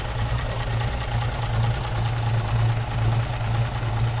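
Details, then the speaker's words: 1953 Armstrong Siddeley classic car engine run one last time before strip-down: low smooth even hum with soft steady pulse, no knocking or missing; normal idle, run briefly to avoid overheating. "It sounds like a machine. What a lovely little engine."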